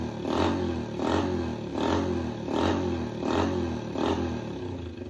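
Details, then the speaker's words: Yamaha TTR 90 after top-end rebuild, petcock now turned on (it had been off and would not rev out), air screw half a turn out: clean repeated rev blips with crisp pickup and no bogging; normal running. "Much better. Much much better. All right. Well, that was that issue."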